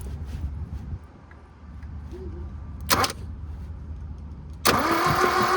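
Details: 1972 Toyota Celica with factory 18RC engine, sat in a junkyard over 20 years, coil fed 12 V by jumper wire: steady starter churn of about three turns per second that never catches; intermittent spark found, needs new plugs.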